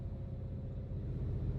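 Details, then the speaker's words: 2017 Mustang GT (S550) from the cabin over bumps, after fitting BMR's updated toe rod ends and an alignment, replacing a bad-batch noisy set: only a low, steady road rumble, no knocks or clunks from the rear; suspension sounds tight. "Got the alignment all done, squared away. Been driving it around. Everything's fine for right now."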